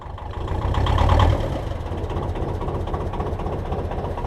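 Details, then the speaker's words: BMC 1.5 diesel narrowboat engine after changing the glow plugs, started with 10 seconds of preheat: low steady chug at idle with only slight unevenness; starts much better, less lumpy and less smoky than before. "There we are, she starts up loads better now. Still a bit of smoke, but it wasn't as bad as it was before, and she seems to run a little less lumpy."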